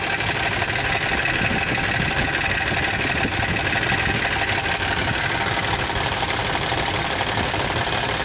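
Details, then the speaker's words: 2007 Toyota Tundra 5.7L 3UR-FE V8, 205,000 miles, cold start, recorded close up: fast metallic ticking about three per second on bank 1 from under the belt cover, unchanged with actuators disconnected; cause unconfirmed, hydraulic tensioner suspected. "i disconnected both these actuators while it's running it did not do any change that's clicking kicking from underneath that belt cover it's remaining the same"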